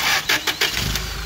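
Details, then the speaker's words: Toyota 8 Series 5,000 lb LPG forklift, 4Y-ECS engine, hard-start issue: after adjusting the fuel-system screw while cranking, short cranking bursts then the engine catches within about a second and settles into a steady run, starting quickly now. "So what I was trying to do earlier, which I could not take a video of because I only have two hands, is cranking it and then slowly adjusting that screw to where it would actually start up better."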